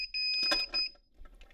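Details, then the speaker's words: High-water sump alarm being installed with a new Zoeller M267 sewage ejector pump: about a second of shrill steady electronic tone, then quiet; alarm sounds when water rises past the float trigger point, meaning the pump isn't working. "So that alarm will go off, and then I'll know that the pump's not working."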